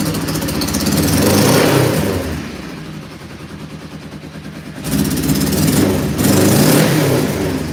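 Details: Cold motorcycle started in snow: revs up and drops with a lumpy, uneven beat and weak pull; owner thinks only one cylinder is firing; suspected misfire that later clears.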